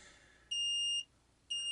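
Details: Ford Transit GXL Jumbo van with rear interior lights that sometimes stay on, owner suspects battery drain (reading 9.6 V), glow plugs disconnected: two high, clean half-second warning beeps a second apart over quiet background, cause unclear.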